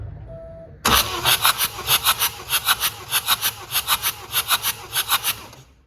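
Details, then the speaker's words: BMW F20 with N47 diesel from Copart that won't start, water damage suspected: fast, even hissing chuffs as the starter spins it with no firing; compression test shows cylinder one only about 8 bar, far too low. "engine well it's not much that is not good so this was number one eight bars not good not good"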